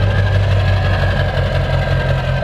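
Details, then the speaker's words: Ford diesel truck after suspected fuel system air bubbles cleared: steady, even diesel clatter at idle with deep constant rumble, no surging and no more white smoke; normal idle. "But look at this! It's running and it's not surging. I'm pretty sure it was just like bubbling and aerating the system, but the truck is running and it's not white smoking anymore."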